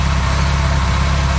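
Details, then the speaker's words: Classic Austin Mini small four-cylinder idling on first start in 9 months, basic ignition timing, no coolant yet; low steady idle with even beat, no knocks or misses, oil and charging lights out, no leaks. "sweeter than that oil lights out charging lights out no leaks and obviously it was moving"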